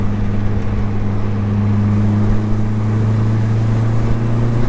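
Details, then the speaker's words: Car with newly installed Vibrant ultra quiet resonator, in-cabin while driving at about 2,000 to 3,000 rpm: smooth even low drone, exhaust barely audible; normal quiet cruise. "2,000 RPMs right now, a little more. It's not bad. You can you can barely hear the exhaust."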